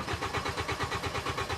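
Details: 2010 Hyundai Sonata 2.4 with intermittent no-start and no trouble codes: starter spins the engine at about seven even compression pulses a second and the tach shows an RPM signal, but it never fires.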